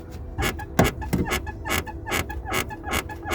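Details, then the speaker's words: London black cab driver's-side seat: a creaky squeak about two and a half times a second with each press on the cushion, seemingly from the bottom of the driver's side; cause unknown. "that is the noise i'm getting it's literally the most annoying thing ever but i cannot work out why it's doing it so it's definitely on this side i think it's from the bottom there"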